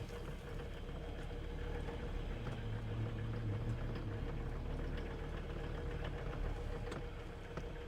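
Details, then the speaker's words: 1981 Mercedes-Benz 300 SD, OM617 5-cylinder fully mechanical turbo diesel, low mileage, running after sitting 5-10 years: steady idle with an even, quick ticking clatter about three a second, no heavy knock; ordinary healthy Mercedes diesel rattle. "This thing definitely has that diesel rattle. A Mercedes diesel, nonetheless."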